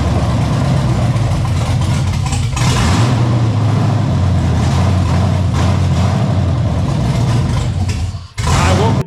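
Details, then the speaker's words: LS-swapped Ford LTD (Crown Vic) V8, start after swap with new clutch and brakes, no upstream or downstream O2 sensors so running open loop, no throttle cable; catches and settles into a steady, deep, even rumble, running fine. "remember guys there is no down or Upstream O2 sensors but it will run an open loop for a little bit"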